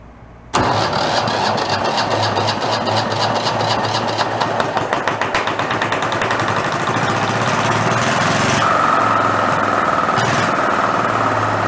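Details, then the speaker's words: Renault single-cylinder marine diesel, spare that sat about 20 years in a shed, being coaxed to idle. It chugs unevenly and never settles as fuel empties from the cup reservoir fast; a bad line sucking air is suspected. Fuel starvation. "no it's not doing what she's supposed to be doing it the idol i think will work but it just dumps the fuel off so fast like how full the cup is every time it's just emptying out that reservoir"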